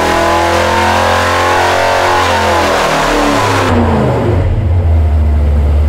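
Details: Mopar 383 V8 (flat-tappet hydraulic cam) for '68 Dodge D200 on dyno during ring break-in: clean, even full-throttle roar climbing in pitch, no stumbles or popping; 385.5 hp at 5,200 rpm, 406.3 lb-ft at 4,300.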